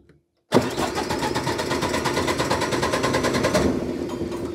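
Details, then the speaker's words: MEP 1040 military diesel generator, bought as parts unit, first start attempt with no fuel in system: starter cranks with quick even chuffing about three seconds, never catches; injection pump system likely not primed, fault given; crank no start, fuel starvation. "so it tried to start probably because see now it's going to give me a fault because the entire injection pump system probably was not primed"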